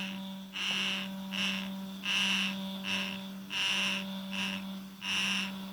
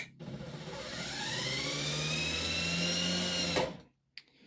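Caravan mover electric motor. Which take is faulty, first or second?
first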